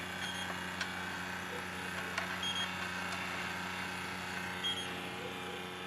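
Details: Rapid high electronic leak-detector beeps, about four per second, over a steady hum at the O-ring fitting of a newly rebuilt suction hose on a Jeep XJ R12 AC system; leak stopped after matching and refitting O-rings.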